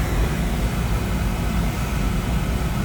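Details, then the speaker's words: Oil burner on a no-heat call, after a new filter: deep, constant roar with no pulsing; previously it surged, now it runs smoothly. "she's running good right yeah sounds sounds good she's not like search remember before she used to search"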